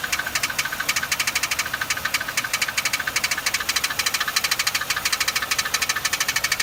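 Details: Loud, sharp, bright ticking at about three per second over a quiet idle, steady and regular; a top-end tick of unknown origin.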